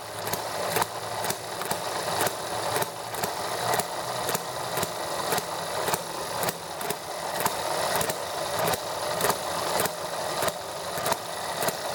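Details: ETX small model engine, first startup after valve job for leaking intake valve; started easily, quick even beat with steady crisp exhaust, no misses, ran about 10 minutes: normal running.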